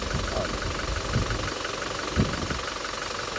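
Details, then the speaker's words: Toyota Innova Crysta diesel, about 1.5 lakh km driven, idling after Sundar carbon antidote plus treatment; previously rough and noisy, now smooth, even diesel clatter with steady rhythm and no harsh knocking, normal idle. "రఫ్గా ఉన్న ఆయిస్ ఇప్పుడు smooth అయిపోయింది smooth"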